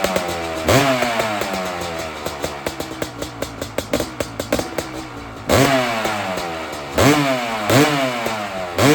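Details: 2001 Honda CR500 two-stroke in a 2006 CRF450 aluminum frame (MRE build), kick-started after sitting a long time with fuel on, choke up, decompressor used: catches into sharp crackling revs rising and dropping cleanly; running normally.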